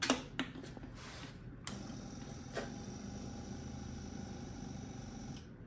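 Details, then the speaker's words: Yamaha Virago 1100 with a brand new fuel pump, fuel flowing so not dry: soft, quiet steady hum with a couple of clicks, then it stops on reaching pressure; normal fuel pump priming. "just so I can kind of give you guys an idea of what the fuel pump is supposed to sound like when it reaches pressure this is my VAR 1100 that I just got running um this one has a brand new fuel pump"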